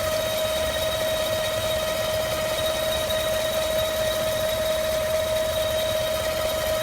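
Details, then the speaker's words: 2015 5.3L V8 truck, 8k miles, just home from driving, hood open, fans off, no AC or accessories: constant airy hiss and sharp whistle over steady idle, sporadic vacuum-like whoosh; belts fine, source not found. "More driving, just got home. Here's the vacuum sound. Sporadic. Hear it going away and come back."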